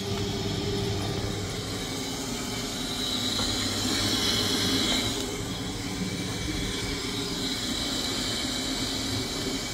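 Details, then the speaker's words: Potterton Suprima boiler after service, heat exchanger flush, fan oiled and burner cleaned, system refilled and bled, firing up: steady even burner rush with low hum, no kettling or bumping, firing normally. "it's been a couple of days now the customer hasn't said that they've had an issue and they haven't said the boiler is making any noise"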